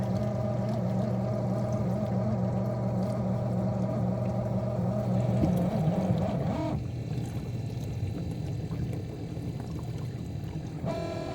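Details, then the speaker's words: Miele G6625 dishwasher bought April 2018 (about 7.5 years old); a low pump hum with a grinding edge, then water sloshing, from the circulation pump motor at the bottom. Filter and non-return valve were clear; the owner suspects debris or worn bearings. "It definitely does sound like it's coming from the bottom. bottom of the unit where the motor is."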